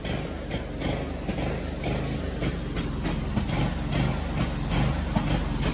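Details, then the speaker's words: Scag Tiger Cat II mower, first start of the year with a weak battery: uneven idle with irregular stumbles and popping about twice a second. Running rough; the bad battery caused it to run terribly, though it slowly improves. "just started this, put the battery in, started up, first start of the year. I've never had it start like this before."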